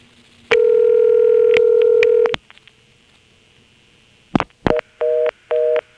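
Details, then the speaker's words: March 1977 Carolina Telephone step-by-step office with ESS tones, Washington NC, callback circuit: steady dial tone, dial clicks, then fast on-off two-note reorder bursts about twice a second superimposed over the ringing call. "you'll just hear the reorder superimposed over the call you've already made"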